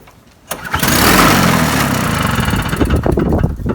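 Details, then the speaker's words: Toro snowblower, Briggs & Stratton two-stroke, unused nine months, fresh 50:1 fuel, Sea Foam in carburetor, primer bulb off; catches with a sudden burst then runs ragged, uneven and sputtering. "it did not do that last time i think that might have been just the uh sea foam that i put in the carburetor but it fired up let's put it to half choke"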